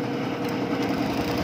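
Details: Honda Beat FI 125 scooter idling steadily with an even buzz, no misfire or stumble, during testing of a direct-connected spare spark plug cap; it had been starting then dying. Normal idle.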